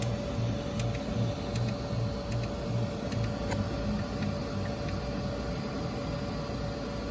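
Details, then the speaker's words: Creality K1 3D printer, about four or five days old, hums through its moves with sharp, irregular clicks roughly twice a second, heard on the left side; sound started about two hours earlier, chain cable not hitting anything, source unknown. "it's a clicking noise as you can see the chain cable's not Hing anything I don't know what that clicking noise is"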